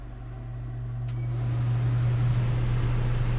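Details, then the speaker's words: Propane furnace after a repair attempt: blower spins up with a steady low hum and holds even; blower running, though clicking and no heat followed. "It's blowing. It's making noise."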